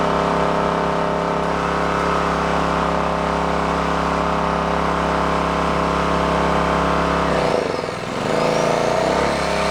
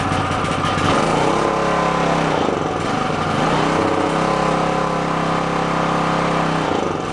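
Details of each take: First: Onan K450 portable generator, yard-sale unit that sat a long time: steady even drone with brief dip near end recovering cleanly; running smoothly and healthy. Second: Onan K450 portable generator, yard-sale unit that sat a long time, first start after reassembly, back panel off, on choke before mixture and run speed set: uneven hunting beat, wavering pitch, not settling while warming.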